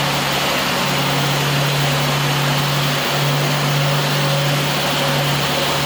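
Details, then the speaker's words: Nissan Skyline R34 six-cylinder smooth, even idle with steady hum, no misfires or popping, after cleaning water-flooded spark plugs and coil packs that caused misfiring; engine not yet warmed up. "so for the car is really nice uh good i haven't hear any uh misfires usually when you turn it on it will sound like a kind of like a motorcycle"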